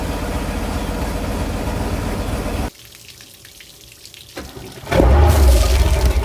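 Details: Sea Ray Pachanga 32 OMC 460 V8 after a tune-up with plugs gapped at 0.035 in and the carb adjusted; exhaust hoses are temporarily clamped. Deep, steady burble with water splashing at the exhaust; the idle is smooth, perhaps slightly high.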